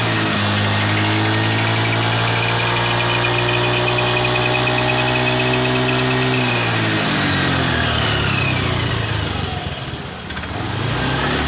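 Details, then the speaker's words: Honda Scoopy FI scooter at mid-to-high RPM; a steady whistling whine from the CVT area, falling in pitch as revs drop. It persists after a part replacement and is traced to worn components in the final drive gears. "di video saya kali ini saya ingin membahas masalah suara-suara nyuling pada bagian gardan motor Scoopy"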